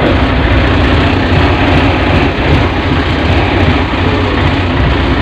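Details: Lifeboat diesel engine with intermittent starting, possibly a battery problem, started in neutral on battery number two: loud, steady diesel clatter with an even low rumble; it starts and runs smoothly.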